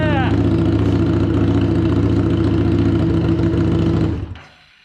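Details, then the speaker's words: 2017 Harley-Davidson Street XG750 liquid-cooled, fuel-injected engine, run without coolant after shipping damage: it fires and settles into an even, steady idle with no knocks or misfires, then shuts down after four seconds. "It runs. Super excited, super happy. This bad boy is going to make for a great transplant into a nice little project that we got coming up. And it actually runs after it got beat up in that shipment."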